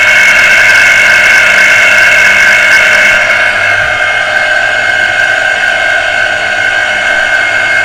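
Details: Water pressure pump motor that would not start and only hummed, test-run during service to free heavy jamming; loud strained, rough high-pitched whine and hum, motor bearing still stiff and partly seized, only slightly freed.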